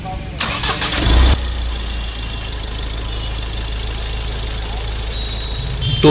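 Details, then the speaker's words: Mahindra Scorpio mHawk diesel after replacing all four old, jammed fuel injectors and bleeding air from the diesel line: cranks briefly, catches and settles into an even, steady idle with no misfire; engine noise and roughness much improved, normal start and smooth idle. "Engine अब start हो गया है, और नए fuel injector लगाने के बाद engine के प्रदर्शन में काफी सुधार हुआ है। इंजन की आवाज़ बहुत अच्छी हो गई है, इंजन में आ रही गड़बड़ी दूर हो गई है, और इंजन की आवाज़ में काफी सुधार हुआ है।"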